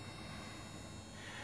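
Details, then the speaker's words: Enecsys 360-72 solar microinverter (second unit), stopped producing after a month, overcast, taking about 30 W DC with erratic voltage: steady hissy hum with a faint high singing tone rising near the end; abnormal inverter noise. "okay wow so this is the second axis 360 72 it doesn't appear to be very very happy as you can hear"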